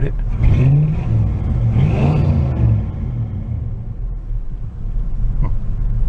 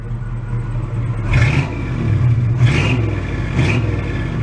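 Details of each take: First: 1986 Oldsmobile Cutlass Supreme Brougham with a carburetor, running after sitting 5 years. A lumpy V8 idle stumbles and surges unevenly, rumbly and stuttering, but smooths out when revved. Old gas is suspected but not confirmed. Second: 1986 Oldsmobile Cutlass Supreme Brougham, roughly 150–160 hp, after sitting 5 years, now running in the garage after an initially stuttering idle. A deep, even V8 rumble with smooth throttle blips: it sounds better now, throaty and healthy.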